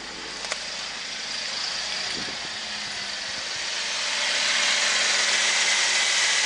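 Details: 2015 Holden VF Commodore SV6 sedan, LFX 3.6 V6 with auto transmission, 92,000 km, being wrecked at a parts yard; steady hiss-heavy engine note swells evenly as revs rise, no knocks or ticks, normal idle and revving.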